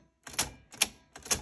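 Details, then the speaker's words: Sony SL-6200 Betamax player: pressing play or fast forward gives three sharp mechanical clicks and no tape run, because the stop solenoid is wrongly triggered each time; rewind and stop still work. "You hear it doing some clicking noises. So what I figured out, for some reason, when I press play or fast forward, it's triggering the stop solenoid, which is right here."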